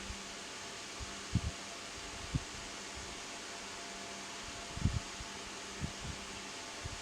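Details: Lakewood HV-9G fan: soft, steady rush of air over a faint low hum with a few stray bumps; running normally.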